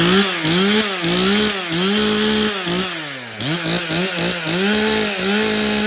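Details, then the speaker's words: Stihl chainsaw (customer's MS 391 or MS170), dropped off because it would not start; refuelled with his own fuel, which had some dirt in it, then started outside at night. Revs up and down with crisp pickup and steady buzz; it starts and runs fine. "okay well this thing starts and runs"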